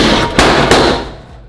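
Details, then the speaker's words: Engine cranking while the EFI works: two sharp cracks about a third of a second apart, then a fading rumble; backfiring because the ignition timing is off, top dead center being rechecked. "so the EFI is working the engine is cranking but our timing is off that's why we're having a lot of backfire"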